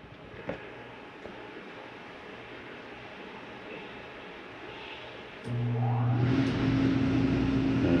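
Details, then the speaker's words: Shadow Cruiser 277BHS RV, thermostat set to cool with the temperature turned down; after a quiet start, the rooftop AC kicks on around 5.5 seconds with a steady low hum and fan rush that holds even. Normal operation. "Let's go right to air. Turn the temperature down on that. Try to get the AC to kick on in"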